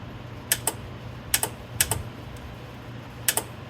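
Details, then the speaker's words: 1977 square-body truck AC compressor clutch bench-energised with about 11–12 V from an old adjustable DC supply: crisp paired clicks a second or so apart as the clutch snaps in and releases, no grinding or buzz; clutch works. "You hear the clicking, and I see the clutch moving. So the clutch is good."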